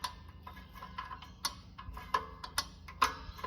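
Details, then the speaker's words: Land Cruiser 105 rear handbrake service: adjuster wheel rolled up on its teeth until tight. Irregular crisp clicks, one or two a second, with light spring twangs as the wheel turns, showing the adjuster teeth engaging properly. "You get on them teeth and roll him up until this gets tight and I can't turn it. But when I let the handbrake lever off, it'll be loose so the car will roll."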